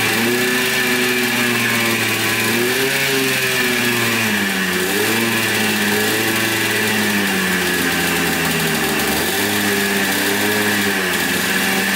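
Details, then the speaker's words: 1996 Yamaha Blaster 200 two-stroke quad, after carburetor fix (likely was flooding, pin wrongly positioned): crisp buzzing climbs and drops cleanly with each throttle blip, no bogging or stumble; revs out freely, normal revving. "so definitely revs out more give it that i think it's uh pulling on the throttle cable though sounds pretty good i think she's fixed"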